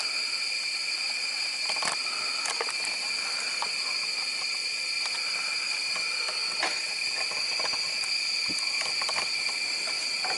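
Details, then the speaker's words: Lawnmower engine under warranty on a cylinder leak-down test, tester hose in the spark plug hole, piston not at top dead center: constant high-pitched hiss of air rushing out, gauge reading 100 percent leakage through an open valve; near zero at TDC. "go ahead and plug the hose into your gauge and it immediately goes to 100 percent leakage"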